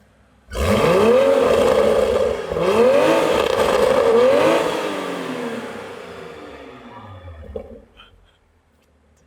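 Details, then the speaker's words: Toyota A90 Supra with a newly installed GTHAUS GTC exhaust, replacing the old one after its exhaust valve flange snapped: three sharp revs with a deep, crisp bark that winds down cleanly, no rattles or drone; healthy exhaust note. "Guys, it's so different. Oh my gosh. That sounds crazy."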